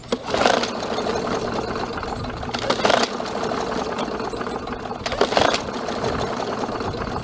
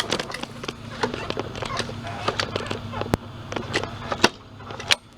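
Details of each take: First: MTD Yard Machines 21-inch self-propelled mower, 140cc engine, hydrolocked with oil. After the oil was cleared, three pull-starts spin freely and evenly with no hard stop; cranks normally. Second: Ticking while pulling the recoil starter on an MTD Yard Machines self-propelled mower with spark plug boot off; sharp uneven ticks over low rumble, first suspected loose blade but attributed to grass buildup; starter dog still sticking.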